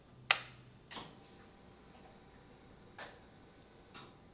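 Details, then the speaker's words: Ford Ranger after fitting new ECU, ignition on: relay click, faint low hum under a second, soft clicks; fuel pump primes and shuts off normally, confirming ECU works. "and I heard the the fuel pump turn on and then turn off so now we know that that's correct"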